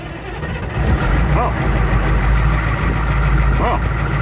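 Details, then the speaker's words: Ford L8000 crane truck with what is believed to be a Cat 3208 diesel, not run for four to five years, started on a jump pack: catches within a second and settles into a deep, even idle rumble; starts easily and runs healthy. "that was easy. Okay, I guess you will start."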